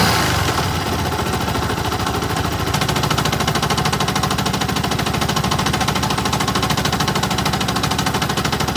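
A sharp, regular tapping of about three per second rides over the running engine; it is a mechanical knock of unclear origin.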